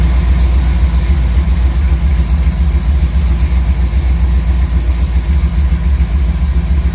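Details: Chevy C10 V8 truck with a newly installed Maxpeedingrods Quadrajet carb: deep, steady idle burble with even pulses and no misses, knocks or hunting. Idle was turned up quite a bit and mixture set by vacuum gauge to about 15 in. Normal idle.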